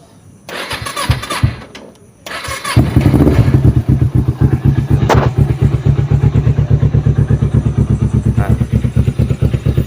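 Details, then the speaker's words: Kawasaki Ninja 250 FI twin with Yoshimura exhaust: starter whirs, then catches into a steady, even low putter around two beats a second; normal, very smooth healthy idle. "jadi kalau misalkan motor 250 itu masih normal, suaranya sangat halus teman-teman. Nah, suaranya masih sangat halus."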